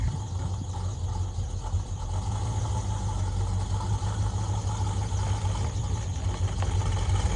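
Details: 1981 Chevrolet C1500 with freshly rebuilt engine, new lifters and big cam, out of winter storage: steady thin squeal constant over rumbling idle; serpentine belt squeal from misaligned power steering pulley.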